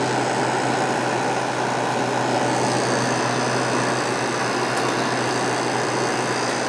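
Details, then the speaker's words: Vintage Kenmore (Whirlpool) 5,000 BTU window air conditioner with a Matsushita rotary compressor, running steadily in warm weather: a constant low hum with smooth fan rush and no rattles. It is already cooling well after a short run and very quiet. Normal running. "kind of sounds like a Matsushita compressor so I'm guessing that's what it is this thing has not been running that long and it's already cold so it's pretty impressive it's pretty warm out here right now it's very quiet"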